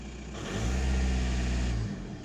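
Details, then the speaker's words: VW Golf MK4 wagon 1.9 TDI PD130 diesel after fuel lift pump replacement, very low fuel, possibly some air in system: catches and revs smoothly, steady beat, settles without stumbling; pump running, no leaks, normal running. "well she's running fuel pumps up making a noise there's nothing squirting out so"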